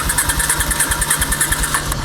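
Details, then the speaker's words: Honda sidecar motorcycle restarted after cooling down at a car wash following a wash: quick uneven putter that fades and dies shortly after catching; it stalls because the cooled engine wants starting enrichment (choke). "Engine stop. Oh, that's how it turns on. Cooled down, wants a starting enrichment."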